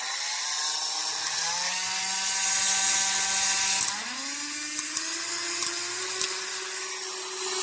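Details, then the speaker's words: HARDELL 12V cordless mini rotary tool (6 speed settings, max 30,000 rpm), owned just over 30 days: high motor whine stepping up in speed, with a rough buzz and uneven rattles. The tool vibrates noisily, its motor grinds, and it sometimes quits working. "It's vibrating. You can hear the noise it's making."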